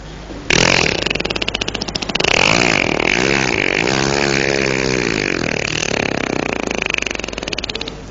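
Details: Motorcycle that broke down on the road: repeated start attempts give ragged, sputtering bursts that never settle into an idle. The engine seemed jammed, and it had run out of fuel.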